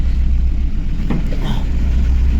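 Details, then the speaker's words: Chevrolet Aveo 1.5 8-valve Opel engine, rebuilt two years ago, unknown mileage: deep uneven idle with stumbling thump, misfiring with no check-engine light; blown head gasket, suspected into cylinder four, sludge in coolant, before head repair. "Блін, двигун троїть, а чек не горить."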